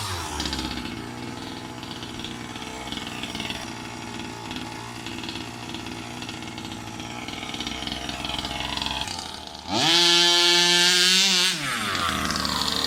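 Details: New Rovan 36cc double-ring two-stroke in a King Motor Baja 5B, first hard runs: buzzes at part throttle then screams to a high even pitch, pulling like a 26cc off the line; poor low-end pull.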